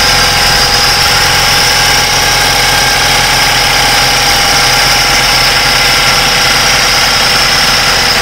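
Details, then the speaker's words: BMW F10 petrol engine idles loudly with a hard, diesel-like clatter. The clatter was unchanged after the DME was replaced. A mechanical problem is suspected, exact cause unknown. "if you did hear this that this engine runs like a diesel engine this is gasoline vehicle but it runs like a diesel which tells me that this is definitely a mechanical problem"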